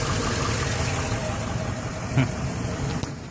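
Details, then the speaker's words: 2011 Silverado 5.3L at 126,000 km, recently fitted with a new valve cover with built-in PCV valve, hard to start after sitting 8 hours: rough, shuddering idle that wants to die, with sharp ticks and knocks. Cause unknown. "Holy shit. Fuck. That is not good. Yeah, she's got quite a shudder and quite a bit of wonky noises going on."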